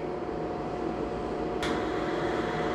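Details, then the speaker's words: Lochinvar FTXL 400 boiler after a failed circulating pump was replaced and a lockout was cleared: steady blower hum during pre-purge, a sharp ignition click, then the burner lights normally. Cold, so it ramps to 100% firing; normal start-up without lockout. "i hear the ignition there you go ignition [Music] 70 81 so since it's cold it's gonna go to a hundred percent"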